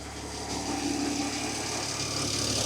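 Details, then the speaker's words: BMW E60 with N54 engine at steady idle just after replacing the worn drive belt and pulleys: smooth belt hiss with no chirp, squeal or bearing rumble; everything spins as it should. The owner suspects the old worn parts had strained the belt. "everything's spinning as it should."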